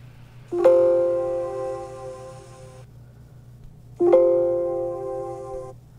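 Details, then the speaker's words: Dell XPS laptop (13/15/17, 2020–2021) speakers playing Windows asterisk sound as it should sound: two chime notes ring clearly and fade smoothly without the crackling distortion at the end; crackling issue has no known fix. "a lot clearer right so much better than this"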